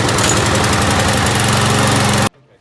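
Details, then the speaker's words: Used Briggs and Stratton lawn mower checked before buying, started after priming fuel into the carburetor: fires and settles straight into a quick, even single-cylinder putter before shutting off; it starts, a healthy engine. "you can see that it starts."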